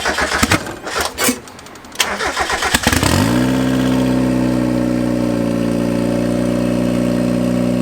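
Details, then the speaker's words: 1991 Mazda Miata NA turbo build on a new ECU base tune cranks, catches, then holds a fast, high-pitched idle that climbs to about 2,900 rpm at operating temperature and never drops. The idle is set too high. "So as you could hear and tell, that idle is, when it got up to operating temperature, it's climbing. It's at like 2,900 RPM."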